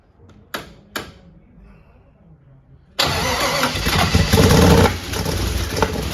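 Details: 1961 Chevrolet Impala with fuel injection, first crank test: starter churns the engine over about three beats a second but it never fires; injectors fire and oil pressure is present, suspected timing problem or unadjusted valves, battery running down.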